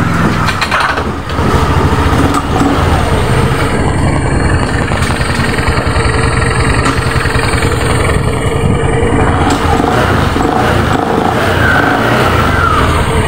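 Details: Honda automatic scooter after replacing the rear CVT pulley bearing: steady even beat with a smooth drive note, no grinding or rattle from the rear pulley; much smoother than the badly grinding sound before.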